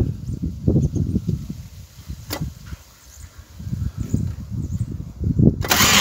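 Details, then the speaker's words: VW Golf Mk1 that won't start, cranking with mist spray: irregular, rough cranking bursts about three a second, never catching; starter misaligned and loosely mounted, owner planning to add second bolt and retard timing to stop backfire. "put the other bolt through to make the starter more secure because you can hear the starter making is uh different sound because it's not lined up and it pulls queue when it take talk."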